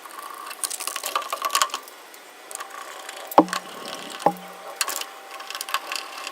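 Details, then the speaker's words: Top-load washing machine after fixing the vibration/banging (drum stabilizers not at fault): quiet run with soft water swish and two light knocks, running smoother with only slight residual knocking, no heavy banging. "so it seems like it's running smoother Steve a little bit knocking but at least it's functioning right now"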